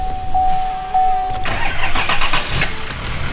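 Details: 2018 Chevy 6.6L Duramax diesel with both batteries disconnected, started using only an iOnBoost V10 TORQUE jump pack: brief cranking whirr, then fires promptly and settles into even diesel clatter; clean normal start.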